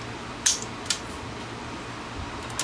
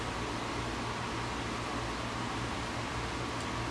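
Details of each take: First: Vintage Superscope C202LP cassette recorder: sharp, irregular clicks over a quiet motor hum; the auto-stop lever and motor contacts stick, keeping the motor running. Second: Vintage Superscope C202LP two-speed mono cassette recorder (Marantz design) after overhaul: steady quiet transport hum, then sharp clicks as auto-stop trips when take-up reel is stopped. Auto-stop tripping correctly.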